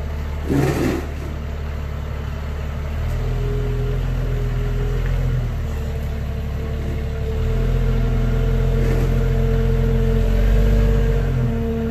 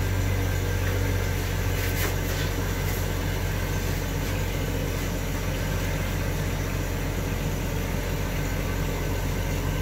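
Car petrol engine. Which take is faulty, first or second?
first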